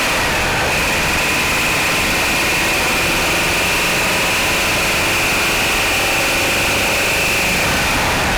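Cold idle carries a fast, busy knocking clatter over a hissy background; knocking on cold start, cause not pinned down.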